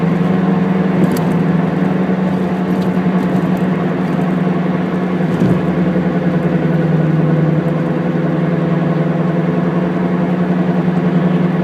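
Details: Car wheel hub bearing noise while driving: steady low droning "go-go-go" rumble with a throbbing pulse, easiest to hear during deceleration in the latter part; worn hub bearing.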